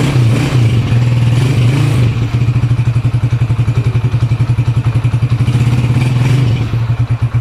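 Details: Honda TMX 155 single after overhaul with new piston and connecting rod, breaking in: even low thumping pulse holding steady after a brief rev, no knocks or rattles; sounds healthy and smooth.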